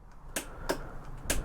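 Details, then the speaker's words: 2022 Aprilia RSV4 that quit after a second track session; dash powers on, in neutral, pressing start gives only sharp single clicks from the rear about every third of a second, no cranking; cause unknown. "The bike is in neutral, but when you try to start it, nothing happens. You get a little clicking sound from the rear,"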